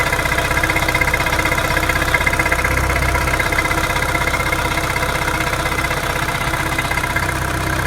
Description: My Mini Cooper 2007 model (none S) started making ticking noises at idle.